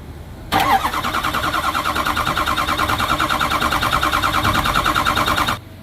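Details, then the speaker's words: 2006 Ford 6.0 Powerstroke diesel that ran rough and stalled after fueling, starter jumped via wire: about five seconds of cranking at roughly three even beats a second; even compression, so misfire not mechanical. "and we're gonna crank it over for like 10 seconds and just listen to the sound of the engine."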